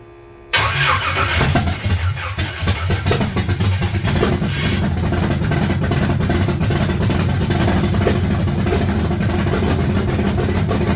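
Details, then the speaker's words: S-10 with freshly swapped engine catches and settles into a loud, slightly uneven lumpy idle with light blips; still needs tuning, timing not set because the timing light isn't working. "We know it's just down to tuning it a bit. I wish I had a functioning timing light."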